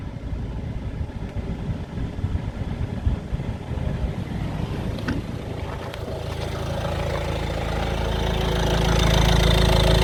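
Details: 2016 Citroën C4 Grand Picasso idling: loose, uneven rattle over the hum, growing louder over time; noise gone with the belt off, and fixed by replacing the auxiliary belt tensioner and belt.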